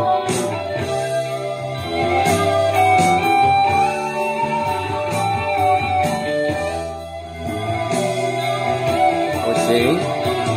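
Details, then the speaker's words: Revox A77 reel-to-reel tape deck after replacing three electrolytic capacitors, before treble modification, heard through a small speaker from the preamps: clear guitar music on both channels, no hiss, warble or crackle; normal playback. "ο ήχος και ακούγεται και πολύ χαλαρά. Καθαρά, ακούγεται καθαρά ο ήχος, είμαι χαρούμενος."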